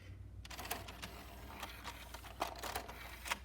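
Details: Nakamichi MB-3S CD changer with the magazine top open, owner reporting intermittent disc 7 load failure and noisy skipping spin-up: irregular light clicks and soft whirring as discs shuttle into place; normal disc loading.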